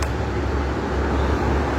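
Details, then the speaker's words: Wall fan at speed 3 after rewiring swing/synchronous motor, fan motor and plug cables, cover closed and bolted, swing rotating: steady air rush over even low hum, no ticking, rubbing or wobble; fast and normal high-speed running. "Ya, kencang sobat ya."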